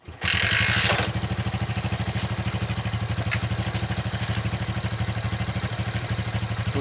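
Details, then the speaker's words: Bajaj CT-100 rebuilt engine after installation, 1 litre fresh engine oil, petrol in carburettor only, tank not yet fitted, tappets left slightly loose after valve grinding: starts easily, even putt-putt idle, smooth, no crank or timing-chain noise; normal start and idle. "ये बहुत ही easily start हो गया। तो पहले से बहुत ही smooth sound है इसका।"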